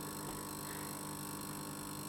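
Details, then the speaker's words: Valve guitar tube amp idling with no playing, which breaks up at high volume: a constant low mains buzz with stacked overtones coming from the main power transformer side. A transformer not bolted tightly to the chassis is suspected. "on a glow and I can hear that that buzzing is coming from this side of the app so it's over the main strands formula which is the big one behind me"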